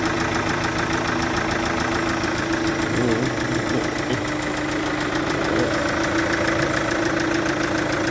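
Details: Chevrolet Captiva VCDI diesel at idle: a steady ticking puff rides over the clatter in time with each firing, from compression leaking at an injector.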